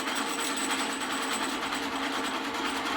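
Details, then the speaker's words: 3000GT/Stealth 5-speed AWD transmission, back plate off, spun on a drill press on low in neutral: irregular metallic rattling chatter. The 3/4 slider sits centered, making the synchros bounce off each other's teeth; slight pressure on the slider stops it. "So the slider is actually causing the synchros to sit there and bounce off the teeth of one another. It's probably what's wearing down 3/4 so fast."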